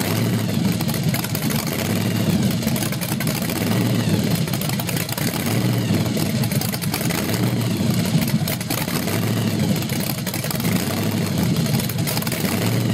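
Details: SBC 383 stroker, 6-71 blower at 8% underdrive, twin Carter AFB 500 carbs, 8:1 compression, first run-in on an engine stand: loud, lumpy V8 rumble rising and sagging unevenly; owner suspects lean fuel starvation, timing confirmed correct.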